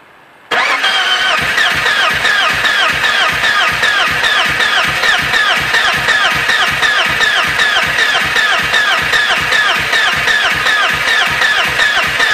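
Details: BMW E36 hard start: engine cranks on in an even run of beats, about two and a half per second, with no catch or fire; cranks but won't start.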